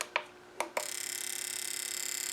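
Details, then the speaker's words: Ford Ranger V6 with a misfire, fuel injector bench-tested on a tester in test mode four: a few single clicks, then fast, even ticking about sixteen per second; a known-good injector firing cleanly, confirming the coil works, unlike the blocked one. "It's working. So, we know the coil's working but on the one that was here it was blocked up."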